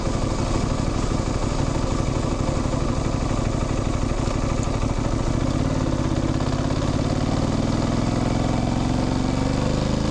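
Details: Motorcycle under way: steady engine pulse with a chirping chain whir rising in pitch as speed builds; clunks are gear shifts, the rest is normal engine, gearbox and clutch noise. Normal drivetrain sound.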